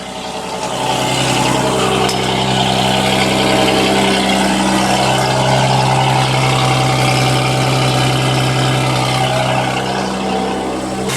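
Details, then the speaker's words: Audi S4 first start after work, idling in neutral, heard underneath: steady idle with sharp puffing tick 3 to 4 times a second; exhaust leak, probably at the flex pipe; fuel pump ticks slightly. "so there's definitely an exhaust leak down here I can hear that clear as day so I have to deal with that that's probably where the flex pipe is"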